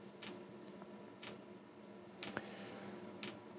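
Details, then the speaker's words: Diesel heater that has never worked despite new controller and ECU, glow plug drawing eight amps: fuel pump ticking about once a second and speeding up over fan hiss, white smoke but no burner roar; heater not igniting. "but it does not light it just continues to be a smoke machine glue plug's still on fuel pump's getting faster fans getting faster"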